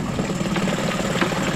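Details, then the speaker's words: 2011 Suzuki DF9.9A four-stroke outboard, after fixing damaged carb choke valve threads that caused stalling, in gear with a little throttle in a test tank: steady even low running note, no stumble or stalling; normal idle in gear. "there it is in gear you bit a throttle on not too much it's in a tank but it doesn't stall out so overall very happy with that"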